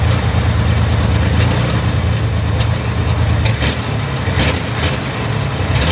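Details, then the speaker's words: Chevrolet Corvair flat-six after major tune-up with new ignition system and carburetors, fuel lines reconnected, first start to check for fuel leaks: steady low rumble with slight rise and fall in revs, no misses or knocks; normal idle and revving. "Everything is in place for the engine to run again, so let's start it up and check for fuel leaks."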